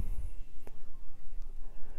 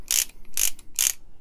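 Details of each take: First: Harbor Freight Icon 1/2 in 50-250 ft-lb flex-head torque wrench, new and well oiled, ratchet worked by hand: three quick runs of fine, even clicking with crisp, uniform strokes and no skipping or grinding; a healthy ratchet. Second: Comparison torque wrench, likely a Pittsburgh, possibly a 36-tooth ratchet, worked by hand against the new Icon: four quick bursts of sharp, coarse clicking, each a short hissy rattle; a rough, cheap-feeling mechanism that doesn't sound as good.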